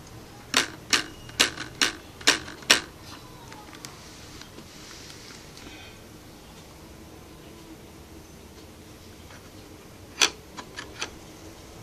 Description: with the tinted visor down on a rough road there is a rattle noise that come from those black pieces from the mechanism.